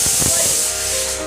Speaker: ಈಗ ಇನ್ನು 1 ವಿಸಲ್ ಆಗುತ್ತೆ. ನಾವು ಇದನ್ನ ಆಫ್ ಮಾಡಬೇಕು.